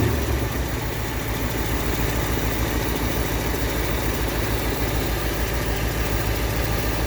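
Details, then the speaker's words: 1959 Ford Fairlane 500 V8, first run in 17 years with a new gas tank, warming up: lumpy, uneven idle around three beats a second; timing not adjusted, timing chain loose, and the carburetor is suspected to still be gummed up. Rough idle, cause unconfirmed. "Timing chain's all loose. I'm sure the carburetor's still a bit gummed up because I never took it apart."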